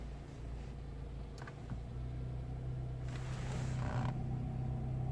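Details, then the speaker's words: Lada Vesta, front right: low creaking and crunching in bursts when coasting with the clutch pressed and turning the wheel left and right. No noise while accelerating, on asphalt or over potholes. Front suspension creak. "Выжимаем сцепление. И начинаем крутить руль вправо-влево. Вот такой вот хруст."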